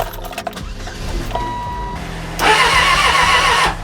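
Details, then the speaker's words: Non-running 1996 Suzuki Bandit 600 (GSF600S) that cut power on the highway: brisk, even cranking just over a second, about three and a half beats a second, never fires; owner thinks compression sounds low; cranks but no start. "Oh, okay. It turned over. It sounds like it has compression. It sounds low."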